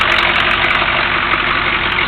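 Steady, even diesel idle with a bright continuous clatter and no misses or heavy knocks; this engine is running healthy.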